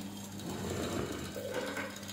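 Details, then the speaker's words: Treadmill DC drive motor tested during IGBT drive-board repair; steady low hum with faint scraping, ratchet-like rasp as the off-center armature wobbles on its pivot and the rotor rubs the stator, causing motor and IGBT overheating. "tha beagan fuaim air an fhuaim seo tha e a’ nochdadh gu bheil an rotor tha a’ chrann armature a’ suathadh ris t bidh an stator aige"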